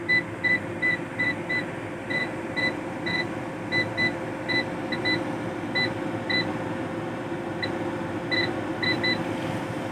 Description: The UPS is making a continuous tone alarm sound.